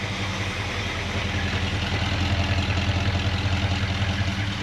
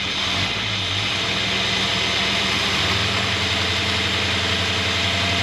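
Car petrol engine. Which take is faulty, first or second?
first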